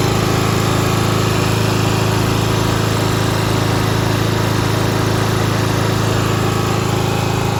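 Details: 1995 Craftsman LT4000 lawn tractor, single-cylinder engine, after sump gasket replacement, throttle picked up: even thump about four beats a second with a faint buzzy rattle riding on it. A loose panel near the hood is vibrating; engine running nice.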